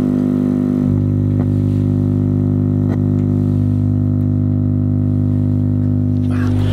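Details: Newly assembled power amplifier board: steady, deep, same-pitch electrical drone plus thump at switch-on; mains hum from the power supply.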